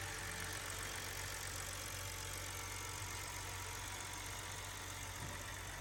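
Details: BMW brought in for misfires caused by mixed spark plugs (2 of one brand, 4 of another), after general tuning, plug and filter work: the engine settles into a steady, even idle with no stumble; all cylinders firing cleanly.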